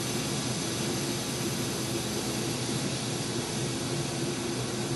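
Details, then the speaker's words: Goodman 2-ton A/C with recently installed compressor, reportedly overcharged and sludged, cooling poorly at ambient mid-80s °F: steady loud rushing refrigerant hiss at the evaporator that cycles louder then quieter; liquid line slightly warm; cause suspected, not confirmed. "Liquid line's just a little bit warm. Not much, but if you can hear that that the refrigerant gets louder and then quieter, louder then quieter. Right now, it's loud."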